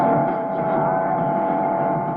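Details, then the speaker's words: Cheap ham-radio switch-mode power supply radiates carriers across the AM band; a steady mid-pitched noise carrier sits over a received station with the NR-1 noise blanker off, then is removed. Suspected pickup through the RX line inside the switching box. "okay that's the carrier the noise carrier um along with the station and when I switch on the noise blanker the carrier is being completely [Music] removed well I suspect that uh this is um the carrier from the cheap switch mode power supply is picked up um through the RX line inside this switching box"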